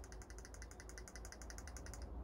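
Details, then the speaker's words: Arrma Outcast 6S RC car, motor reassembled after maintenance: crisp, even clicking about ten per second between spur gear and motor pinion with no grind or bind, showing gear mesh properly set with slight play. "donc vous entendez ça doit faire comme ça le cliquetis entre la couronne et le pignon moteur donc là normalement"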